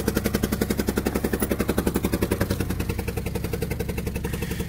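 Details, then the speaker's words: Auction-rebuild truck at a cold start, showing low coolant and service engine soon warnings: sharp, even ticking three to four times a second over a rough idle, sounding unhealthy; owner suspects a crevice or break at the back of the head, likely an exhaust leak. "But as y'all can see, it does run. It don't sound real healthy. But it does run."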